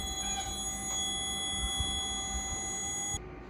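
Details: Fire alarm panel (MCFA) with a ground/earth fault lamp lit, loop 2 data cable just disconnected; steady high-pitched trouble buzzer for about three seconds while the panel reinitializes, and the earth fault persists.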